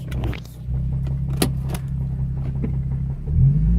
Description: Just a short video i took when the bearing in my motor spun, started off as a minor tick i could hear bouncing off the cars next to me to full blown knock.